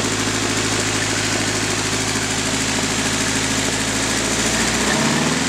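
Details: Nissan 240SX KA24DE at idle: rapid uneven ticking and popping about three times a second; exhaust manifold leak from a broken manifold bolt, fixed by repair.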